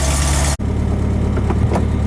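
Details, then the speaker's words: Engine after assembly and rocker arm geometry work, run outside: steady even low idle rumble, no knocks, ticks or misses, not that noisy; normal healthy idle. "Doesn't sound too bad. Not that noisy. Hope it sounds quieter inside."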